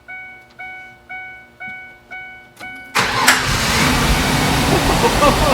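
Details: 2002 Ford Ranger that previously wouldn't start, after diagnosis and with a new battery fitted. About five slow, even cranking pulses, then the engine catches at once and settles into a steady run: normal start.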